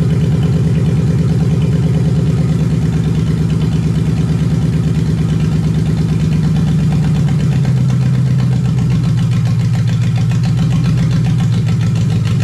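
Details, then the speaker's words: Lexus 1UZFE V8 barn find, first start after standing 6 years, running before going into a Jeep KJ, with ATF in the cylinders causing smoke; deep, even idle with steady firing pulses, no knocks or misses. Normal idle. "so we've got this v8 running and in the next video we will be putting it back into this jeep"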